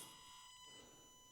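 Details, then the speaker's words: Completely stock Axial SCX30, about 1/8 throttle: faint, thin, steady high whine from the speed controller with no drive noise as it struggles to move and stalls. "You could already hear the speed controller. I'm rolling on the throttle, and I'm probably at 8th throttle right now, and it's finally starting to go."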